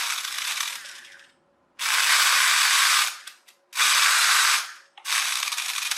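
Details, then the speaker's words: Chicco Jimmy Thunder RC car conversion: the motor drives in stop-start bursts of fast, harsh, high-pitched ratcheting as the gearbox's protective slip clutch slips under the wheels' flywheel load. The owner considers tapping in the metal end plates to tighten its spring. "and that stops the gears breaking but it's actually no good to us because it's slipping"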